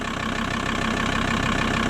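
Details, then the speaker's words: VW T4 Transporter 2.5 TDI AJT/ACV five-cylinder diesel right after swapping the Stanadyne injectors for Bosch ACV injectors to cure slow starting; it starts immediately to an even, smooth idle clatter with no hunting. Normal diesel idle. "I'd say that's a win started immediately"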